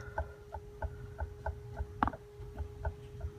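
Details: Clattering at the front on morning or after-lunch starts: a light, regular knock about three times a second over a quiet idle; the worn water pump bearing lets the pump visibly wobble. The water pump is to be replaced.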